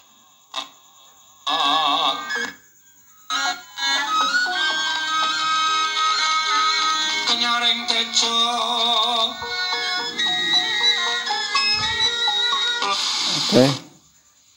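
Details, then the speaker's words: Small radio after repair plays music clearly with brief dropouts and a burst of hiss; fault was no sound with hiss, caused by a broken, detached antenna wire, now reconnected. "ya teman-teman jadi masalahnya hanya anten kabel antenten ini copot dia ya"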